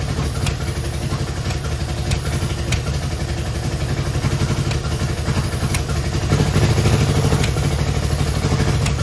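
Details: Innocenti S Spyder that sat for years, fed from a jug because the tank and line are clogged, started on choke with starter fluid: a low, uneven idle with irregular lumps and sharp ticks; it runs but rough, cause unclear.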